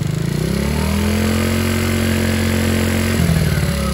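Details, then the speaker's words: Taotao Pony 50 moped single, after A9 camshaft install with valves not yet adjusted: engine revving steadily with a light fast tick-tick over it; valve clearance out, needs adjusting later. "my valves need to be adjusted can you hear that tick tick tick those are my valves in there i should have adjusted them but it's okay i'll do that later"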